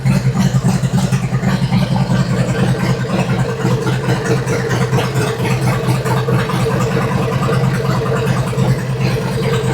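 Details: 2003 Harley-Davidson Twin Cam FLA after a cam chest rebuild with a new oil pump and cam plate (Fueling OE+ kit); warm low oil pressure had caused lifter ticking. Now a deep, even V-twin note through the revs with no knocks or ticks: healthy.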